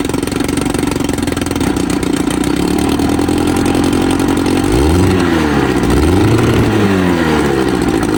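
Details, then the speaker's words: 1954 Evinrude 7.5 HP Fleet Twin outboard, after new coils, cleaned points and a carb rebuild, now running with the hood fitted back on: a crisp two-stroke buzz that settles and picks up cleanly with throttle, firing evenly with no misfires; normal running. "Well guys, this thing actually runs pretty dang good."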